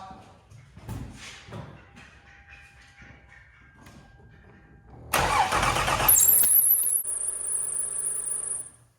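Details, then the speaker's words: 2005 Lexus ES330, engine running, coolant leak, water pump replaced once before: quiet at first, then a sharp high squawk rides on the engine from the water pump pulley rubbing its bracket; owner suspects the water pump, timing belt and idler pulley. "God Dam that was loud we just belt rubbing or hitting son of a maybe that spinning h"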